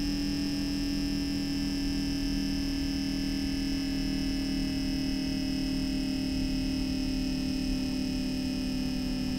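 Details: MSI MEG Core Liquid S360 AIO cooler, brand-new, on a 13900K with MSI Z790 board: steady, constant high-pitched pump whine over a low electrical hum, no pitch change; pump whine.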